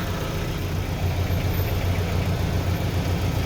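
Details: Evotech 2.7 engine (GAZelle) at idle: faint uneven light knock about 3–4 times a second under engine hum; engine knock.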